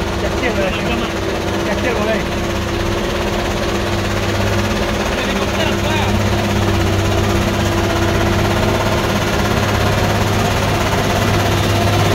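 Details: Truck on the Sitinjau Lauik road: heavy diesel drone with a loose, uneven chopping beat about three times a second, like a helicopter; source unclear.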